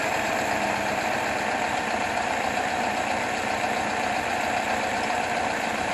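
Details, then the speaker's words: 1977 Toyota Celica with swapped carburetor, warmed up, idling about 1000 rpm; steady slightly fast idle with even exhaust burble, no misses; high idle, owner suspects over-advanced timing. "okay i got it down to about a thousand rpm still a bit high you can hear the exhaust got a little bit of a burble to it i think the timing is over advanced"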